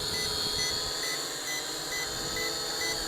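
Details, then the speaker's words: ATTOP W8 1080p GPS camera drone in flight: short high warning beeps repeat about every half second over steady rotor hum, cause unknown. "okay I am not sure why that's beeping"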